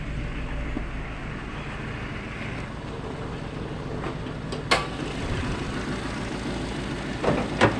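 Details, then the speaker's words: Nissan Livina with check-engine light on: uneven, lumpy idle with a low rumble that stumbles irregularly and a few sharp knocks, shaking the whole body; rough idle traced to reversed front O2 sensor wiring. "nahis mesinnya pincang ya teman-teman seperti itu ini bergetar sampai ke seluruh bodyi karena mesinnya mengerinjal"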